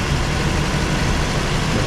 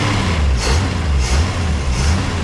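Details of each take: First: 1961 Ford Falcon station wagon, 170 ci straight-six, restarted during first revival; steady low rumble with slightly uneven idle, running too lean, owner suspects a fuel filter is needed; lean running. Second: 1961 Ford Falcon station wagon, 170 ci straight-six, restarted during first attempts to get it running: steady, even idle with no misses or knocks, perhaps slightly fast. It is said to be running too lean, and a fuel filter and fuel leak need attention.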